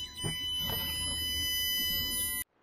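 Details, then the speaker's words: Land Rover Discovery 3 / LR4 air suspension being vented through the diagnostic tool's deflate-corners function before a valve rebuild: steady electric buzz with a thin high whine for about two seconds, then a sharp cut-off; valve block venting. "deflate in progress i was always wondering what that noise is and i think it's the valves hear it"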